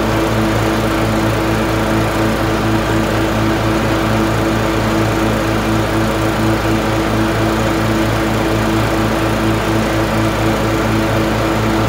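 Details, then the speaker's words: LT1040 riding mower after valve cover gasket reseal with silicone and pulley replacement: steady even drone with regular beat, no misses or surging, smoke gone; running smoothly. "so let me start it up and show you the smoke is gone and the pulley works"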